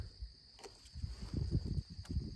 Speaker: can hear it's ticking away. The nice thing about the Cyclops is they are a faster pulse speed than like Speedrites and some of the other ones.